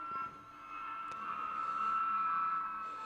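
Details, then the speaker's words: 1946 GE Model 100 AA5 tube radio after replacing the audio output tube's grid coupling cap: steady high-pitched howl over faint hiss, changing tone as something heats up; owner suspects another bad capacitor, maybe a tube. "got another bad cap somewhere that's causing that thought maybe that was it but listen to that thing howl all right and it's getting it's changing tone which that's because the something's heating up somewhere"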